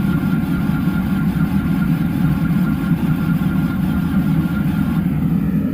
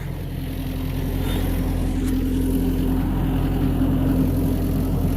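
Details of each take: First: Excavator diesel in cold Christmas weather, cranked again after extra glow-plug time and heat under the engine: heavy, steady low churning with no firing catch; it keeps turning over but never starts. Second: Diesel excavator just started after a cold-start struggle at about 0°F, with frozen hoses and heavy soot: a steady, even rumble with a constant low drone and no misses or knocks; running normally.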